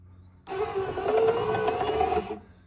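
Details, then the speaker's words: 1964–66 Ford Thunderbird rear power window mechanism, bench-run: two-second motor whir with crackling over it from the counterbalance spring, an exceptionally noisy one, though the window moves up and down well. "hear that the crackling that's the spring making that noise"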